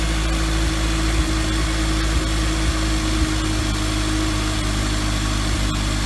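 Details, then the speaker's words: Toyota 2ZZ-GE four-cylinder reinstalled in MR2 Spyder, first start after reinstall: smooth, even idle with steady low hum, no misfire or stumble; much better than previous rough attempt. "sound good right like a good sounds perfect"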